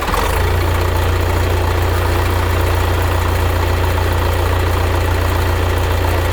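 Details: 1975 Case 680CK backhoe diesel after long sitting, oil change and new batteries, backhoe throttle set back correctly: steady, even throb at constant low pitch with no miss, knock or surging; healthy idle.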